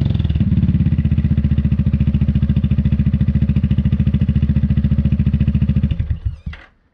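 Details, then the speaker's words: Newly fitted Dominator exhaust with a remade medium baffle on an MP3 500: loud, even exhaust pulses at steady idle, about 3.5 per second, with no internal rattle (earlier "gling-gling" gone), then the engine shuts off. Normal idle. "il fait du bruit. Allez, on va regarder un peu ce que ça donne au niveau décibels."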